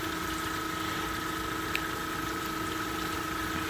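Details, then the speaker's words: New pond pump running at up to 1800 RPM (about 2 A at 1600 RPM): a smooth, even hum with two steady tones and water rushing behind, no knocks or rattles; normal running. "So I love this new pump. It's working fantastic. It goes all the way up to 1800 RPM, and I tested it."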